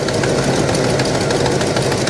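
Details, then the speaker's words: 1973 Buick Regal V8, abandoned at least 13 years, idling slightly rough: a faint, quick ticking puff over a steady low rumble from a slight exhaust leak on the passenger side. "It's got a slight exhaust leak on the uh on the passenger side. You can hear"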